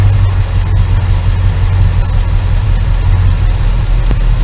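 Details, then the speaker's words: Engine after Pertronix Ignitor electronic ignition module installed in stock distributor, timing set by vacuum gauge to 19, two points below the highest reading: strong, steady low-pitched idle, even beat, no misses; normal idle. "get her adjusted about there two points below that highest setting 19's it's a little sweet spot it likes it right there"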